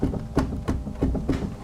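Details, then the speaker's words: Small BMW suspension, shock rocked by hand with camera near the strut top: dull knocks about three per second, clearly bumping at the top of the shock; worn strut top mount bearing. "There's something clearly bumping there and it's so clear that I can show it to you on camera from here."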